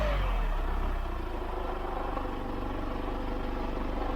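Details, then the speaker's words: Hyundai iLoad van during a sound check at about 82 dB at idle. The engine drops back from a 2000 rpm rev to idle with a rough, clattery rattle; the source of the engine rattle is not pinned down. "A lot of rattle from that thing."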